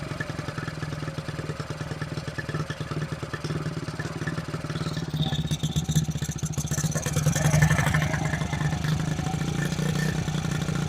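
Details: 1974 Honda XR75 small single, idle jet changed 38 to 35, fuel screw at 3/4 turn out: fast busy putter staying high and climbing a little instead of settling; idle won't come down.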